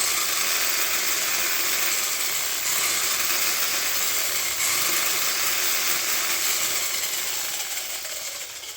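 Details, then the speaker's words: 1/14-scale RLAARLO/CROBOLL metal-chassis monster truck on its stock brushed motor and 2S battery before the brushless conversion. A steady, smooth, high whir of motor and gears spinning freely with no knocks; modest speed with no tire expansion. "I mean, it's um it's okay, but you don't see any tire expansion or anything. So, you can kind of tell um tell that it's not going to be that fast on 2S."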